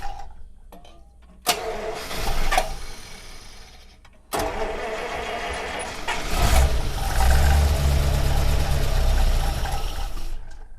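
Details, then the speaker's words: 1948 Buick Roadmaster Model 79 woodie wagon, 320 cu in OHV Dynaflash inline-eight, long unstarted, dry engine being primed with gas-oil mix: starter turns it steadily, about four beats per second, but it never catches; fuel starvation. "i love using the uh the gas oil mix chainsaw for this just because you've got a dry engine it's so much safer too"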